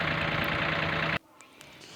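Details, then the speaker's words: Old Ford tractor diesel after repair, still giving slight smoke: steady even-firing idle for about a second, smooth and healthy; said to be fixed, only a small problem, with governor link screws mentioned as the adjustment. "कि हमारा जो tractor वह ठीक हो चुका है शायद आपको साइड में नजर आ रहा होगा तब हमारे ट्रैक्टर को ठीक हो चुका है जरा सी इसमें प्रॉब्लम थी"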